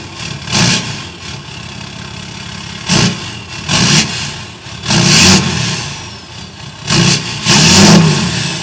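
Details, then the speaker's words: 6.7 Cummins after EGR/DPF/grid heater delete, 5 in exhaust temporarily fitted for sound test: loud open diesel idle with sharp throttle blips rising and falling cleanly; runs strong, sounds good. "It sounds good. I mean, I still think I'm going to like it better with the 4 in on, but at least we know."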